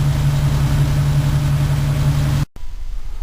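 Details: Restored 1953 Pontiac after recleaning wiring following long outdoor storage, a clicking solenoid problem still present: smooth, even low idle hum with a steady beat until switched off; engine running cleanly.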